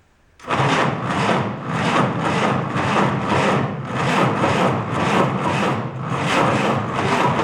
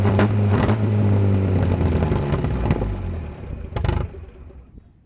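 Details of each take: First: 1949 Willys F134 engine, spark confirmed, fuel poured into leaking carb: slow steady starter chug about three beats a second, never catches; cranks but won't start. Owner suspects carb needs attention or engine not turning over fast enough. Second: 1949 Willys F134 four-cylinder petrol, rigged 12-volt starter, long unrun, on choke: catches and runs fairly evenly with steady low beat, no knocks or clatter, then shuts down; slight smoke possibly from hung-up rings; normal running.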